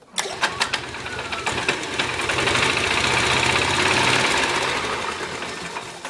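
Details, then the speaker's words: 1996 Melex 512G golf cart petrol engine: a few quick cranks, then catches and settles into an even, fast chatter; starts and runs normally. "you can see that starts very nicely"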